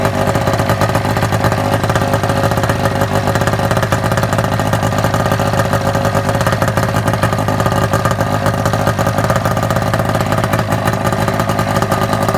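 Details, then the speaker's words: Gen 3 EEE with a two-stroke snowmobile engine: loud, raspy running with a harsh open crackle. The muffler isn't packed or riveted, just set on, so exhaust leaks all around it. "the exhaust leak style everywhere around the muffler it's not packed it's not riveted it's just kind of set on there"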